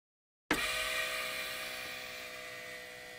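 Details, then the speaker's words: Rotary vacuum brake pump for a 1975 Volvo 164 EV conversion (NetGain HyPer9): switches on to a quiet steady whoosh with a faint whine and no vibration, reaching 25 in of vacuum; normal running. "as you can see the Bandit series pump is much quieter there's no vibration it gets up to vacuum much faster and it gets all the way up to 25 in of vacuum"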